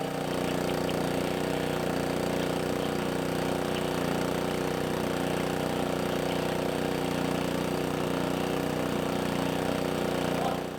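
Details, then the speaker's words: Roadside-free old gas-powered air compressor, single-cylinder engine, first start on choke after repairs, with the tank drains removed so it won't build air. It starts right up and holds a steady, even beat with no knocks or misses. It runs normally, with a little smoke from old oil and grease. "runs it started right up and man I can't say anything bad about it at this point other than a little bit of smoke"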